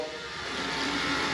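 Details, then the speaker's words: Urinal cistern with systemizer flush controller and torpedo siphon, after refitting: steady soft hiss of water as the controller opens and fills the cistern, normal filling. "He's going to open the systemizer up and fill up. If you can make it out. Just shut off it. He's going to fill up this cistern."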